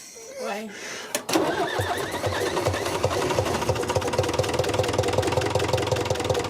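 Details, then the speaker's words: 1974 Mercedes O309 bus with OM314 diesel, first start after freeing starter solenoid, priming fuel and replacing chewed lines with electric lift pump, no glow plugs used, idle turned down: catches after brief crank, settles into even, steady knocking idle; normal. "and it runs and it actually seems like it runs pretty good i have the idle turned down quite a bit"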